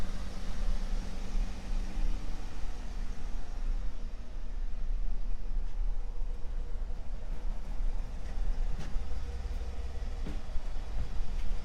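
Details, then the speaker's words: 2014 Ford F150 at idle with the AC off: a smooth, even low rumble with no knocks. The truck later shudders badly when the AC is switched on, suspected in the blower motor. "go ahead and start it up here you can see it sounds just fine starts up just"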